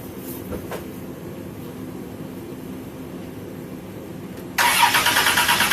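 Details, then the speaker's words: Crank-no-start after a sudden failure to restart in a parking lot: starter cranks in rapid even pulses, about three per second, with no firing, fuel pressure gauge needle not moving; confirmed failed fuel pump. "Okay, well, the needle didn't even move. So, with all of these different tests, this is how I confirm that the fuel pump is bad."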